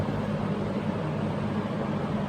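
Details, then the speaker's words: Early-1970s Electrohome 652-1 20-inch two-speed box fan with metal blades, on high: steady even air rush with low constant hum, no ticks, rattles or wobble; well balanced, moves lots of air, healthy. "it's amazing how well balanced these fans are we take a look at the reflection it's so consistent that's amazing dang this thing moved air like a boss"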